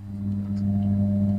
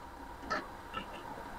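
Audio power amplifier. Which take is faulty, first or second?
second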